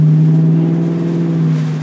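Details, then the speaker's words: 2002 Ford Mustang GT V8 with 4R70W automatic, pulling away from a light, recorded in the car: deep, steady, throaty exhaust rumble from the aftermarket exhaust, smooth and even with no rattles or misfires; quieter than SLPs. "It's not too loud, but it's just enough to really give it that deep, throaty rumble. You know, it's not as loud as SLPs or anything."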